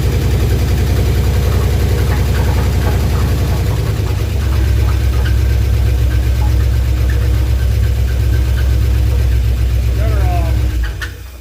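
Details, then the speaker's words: 1968 Dodge W200 Power Wagon, big block 383 V8; runs rough and heavy with uneven clatter under low rumble; something badly wrong internally, oil pressure light goes off when running, cause unclear. "boy something's horrible some may not be coming back all the way yeah that sounds pretty bad"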